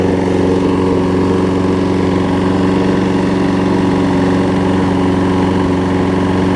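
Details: Troy Bilt self-propelled mower, Briggs & Stratton Quantum, primer-bulb carb fitted in place of the wrong auto-choke carb, warm and possibly nearly out of gas: a steady, even fast beat with no misses. Light smoke, suspected from past running without an air filter. Runs healthy.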